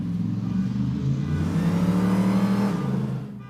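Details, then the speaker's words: Hemi V8 Gremlin at full throttle on the street after a voltage fix for a rev-limiting problem: pulls hard, pitch climbing smoothly with no stutter or cut-out, then fades; rev limiter cured, loud enough to set off a car alarm. "Woohoo! So far so good. Fixed. No more rev limiter. And it's just loud enough to set off the car alarm."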